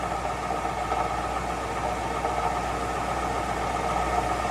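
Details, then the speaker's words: 2005 Mercury Grand Marquis GS V8 at idle: faint tinny buzz under a steady idle, present for two weeks; exhaust rattle from underneath, owner unsure if muffler, converter, resonator or heat shield. "you're hearing it right you're hearing it could it be the muffler or could it be the converter tell me in the comments blow"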